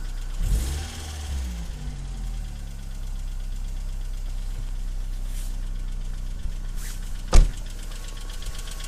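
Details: BMW E46 318i 118hp on cold start: light, fast rattle from the top end over the engine note, sometimes stopping then returning after revving; hydraulic lifters at fault, replacing them cured it.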